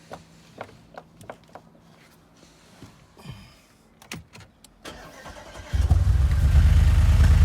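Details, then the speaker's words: 2008 Audi S5 V8 FSI, lambda sensor ahead of the cat replaced by a pressure gauge showing normal exhaust pressure: some clicking, then a low, lumpy rough-running beat; camshaft/valve timing issue on the passenger-side bank suspected. "I think we might have a camshaft timing issue on this passenger side bank. Yeah, it's going to need major surgery, this one."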